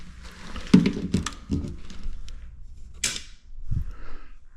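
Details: Newly installed GFI arc fault breaker replacing a loose, arcing breaker in an electrical panel, tested after wiring: a few sharp mechanical snaps and thunks in a quiet room as it trips cleanly on test, working normally.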